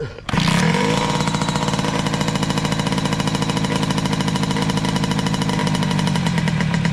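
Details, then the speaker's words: 2003 Kawasaki KX60 two-stroke on 40:1 premix, air-fuel screw 1.5 turns out, still dies without choke: lumpy, uneven pops that never clean up, running boggy; owner suspects the carburetor. "def still boggy so I guess at this point we're going to strap something up and take it for a quick ride"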